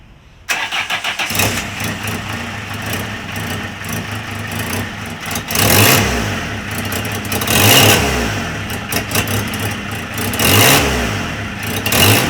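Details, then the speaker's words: 2003 Fiat Doblo 1.9 JTD diesel, engine rebuilt twice, starting and idling: sharp puffing tick over the clatter, louder on each blip; exhaust manifold leak, two bolts backed out and two loose, damaged exhaust flex pipe. "ve egzoz manifoldunun civatalarını görüyorsunuz 2 adet çıkık Diğer ikisi de gevşek Bu yüzden oradan Kaçak yapıyor ve ses yapıyor"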